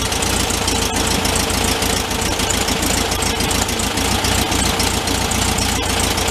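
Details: 1974 VW Thing, 29k miles, after sitting a long time, engine reinstalled and warming up: steady even air-cooled idle with no hunting or misfire once idle mixture and choke were adjusted.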